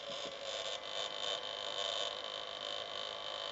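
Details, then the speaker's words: Xbox 360 with disc tray closed (no sound when tray open), games play fine: faint, steady high whine over a quiet hum that never changes; cause unknown. "it's uh my Xbox making that annoying noise again and I want someone to please tell me what to do"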